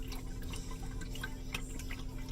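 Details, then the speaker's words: Alde in-floor heating system in a 2018 Roadtrek CS, circulation pump speed dial set to 4 of 5 for testing; steady hum with lively gurgle and trickle of coolant, vigorous normal circulation as when new. "that's vigorous. And that's how it was when we first bought it, and when everything was working well."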